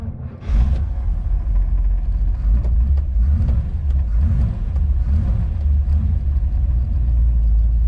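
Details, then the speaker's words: 1956 Chevy Bel Air V8 on arrival, a car with reported driveability issues. A deep, even rumble with a steady burbling beat and no ticks or misses; the exhaust note sounds healthy. "he sounds good the exhaust is really nice"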